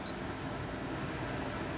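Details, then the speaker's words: New touch-screen induction cooktop replacing a noisy one in a box van, heating water at high power; steady fan whoosh with a faint electrical buzz that isn't harsh, no surging or rattles: normal operation. "So, I do hear that like electricity sound, but it's not like hurting my ears."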